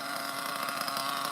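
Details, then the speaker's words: OFNA Ultra MBX nitro buggy, Hyper 21 engine, 2-speed: high-pitched engine screaming and climbing in revs on its own as it leans out with the fuel tank about to run dry. "Feels like it's running out, it's about to run out. You can hear the acceleration."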